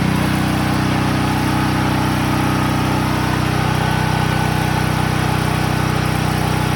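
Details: Promate PH5600 6kVA gasoline generator running at constant speed: a steady, loud, even drone with a strong low thrum. It runs smoothly but is noticeably noisy, cause unclear. Excessive running noise.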